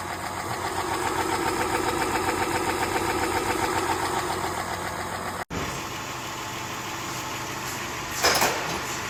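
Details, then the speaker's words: 2010 Chrysler Town and Country 4.0L V6 after replacing lifters and rocker assemblies for loud valve-train ticking: even, very quiet idle with steady rhythm and no lifter clatter; healthy. "running. >> Yes. Very quiet. >> Sounds like uh crickets."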